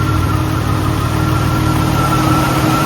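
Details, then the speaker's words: 2001 Chrysler Prowler revived after sitting 3 years, idling with AC on as temperature rises: steady idle with even rushing whoosh and faint constant hum, likely radiator cooling fans coming on; normal idle with fans apparently running. "I believe the fans are running."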